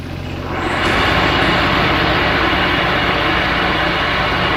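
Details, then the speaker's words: MTD twin-cylinder ride-on mower, parked outside five years: engine running steady and loud with blades engaged, harsh rattling clatter over it; dry blade spindle bearings spin but are very noisy, before oiling them with a long-reach oil can. "oh they were spinning all right just very noisy"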